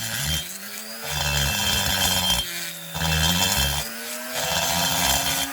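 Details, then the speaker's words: Rotary grinder porting a McCulloch Pro Mac 850 chainsaw cylinder; at higher speed a high, steady whine with no chatter or skipping, whereas lower speed chatters: smooth cutting at correct speed. "okay it's chattering as i go faster it'll smooth it out but there's a point of diminishing returns where you're just going too fast"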